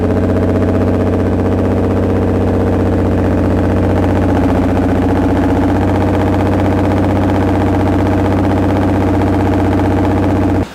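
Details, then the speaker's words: 2010 Nissan GTR (R35) started after about 7 months stored: lumpy running with irregular stumbles about four per second over a steady drone, black smoke and cluster errors; misfire, VCP cam timing not advancing. "those of you who have been around GTRs quite a bit know that they're probably not supposed to sound like that."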